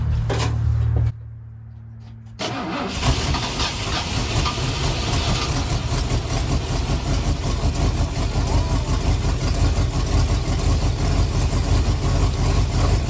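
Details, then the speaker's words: 1974 Ford F250 SuperCab 460 V8, parked 14 years: brief crank, then a steady, even idle with no ticking, knocking or banging and over 50 psi oil pressure; runs healthy. "she really don't sound bad no ticking or knocking or banging I got uh over 50 lbs of oil pressure so it almost sounds like it's a pretty good old 460"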